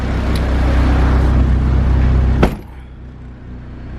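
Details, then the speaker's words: Turbo K24 Civic EP3 with injectors in a shimmed K-Tuned rail and a base map: strong, even rev that drops cleanly back to a smooth, steady idle without hunting or stumbling. "this thing's running mid [Music] comes right back down to idle nice"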